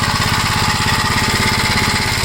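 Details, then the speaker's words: 1956 Gravely L at idle after the valves were adjusted, timing checked OK, governor removed and carb readjusted: a fast, choppy, uneven putt-putt. It still idles roughly. "for those of you that didn't see any of the other videos I'll let you see how bad this runs well I tried to adjust the carburetor again"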